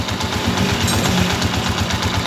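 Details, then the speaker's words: TMX155 single-cylinder motorcycle after replacing the timing gear: engine idles with a steady, even thump, the earlier tinny, can-like rattle inside the engine now gone. "Okay yan nawala na po yung tunog l at saka yung lato sa loob"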